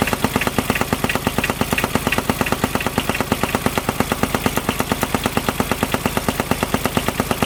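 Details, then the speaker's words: Kubota RTV900 diesel UTV (2007/2009), auction buy with earlier coolant/white smoke issue, suddenly knocking while trail riding: loud, fast, very even knock over the diesel note; owner fears rod knock, finds the fan wobbly, cause unconfirmed. "Alright, so I was riding and all of a sudden I was hearing this sound. Check it out, it does not sound good. I really hope it's not rod knock."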